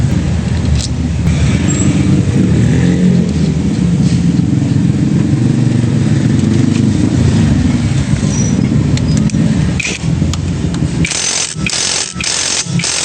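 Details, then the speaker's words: Honda Click scooter after repair of the torque drive, described as only minor and now quiet. Steady, even drone with no rattle or grinding from the drive. Normal running. "Ayan na. Minor lang. Tahimik na."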